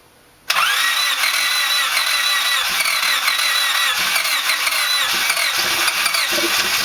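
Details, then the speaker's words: First start of a freshly built D16Z6 engine in a 1991 EF hatch, replacing a blown engine. It cranks briefly, catches at once and settles into a steady, even idle with no ticks or noise; healthy. "Well, damn, that motor sounds good. Motor sounds good, don't it? That sounds good. Ain't no noise out of it."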